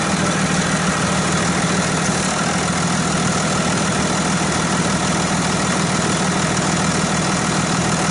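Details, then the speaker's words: Dodge Ram 2500 diesel starting and idling after both batteries were replaced following cold damage: steady diesel clatter at an even idle, firing regularly with no stumbling or hunting; healthy. "but anyway I'm going going go ahead and start it up and show you what it's supposed to sound"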